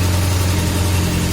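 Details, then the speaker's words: VAZ classic (2101–2107) rear axle after replacing the broken axle shaft bearing and adding grease, car raised, drum removed: steady even low hum with no rattle or knocking; normal wheel bearing. "Вроде не тарахтит, да, с этой стороны, тогда было вообще."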